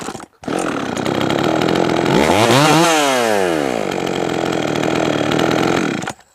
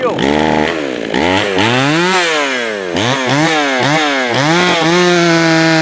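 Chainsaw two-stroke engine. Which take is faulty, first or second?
second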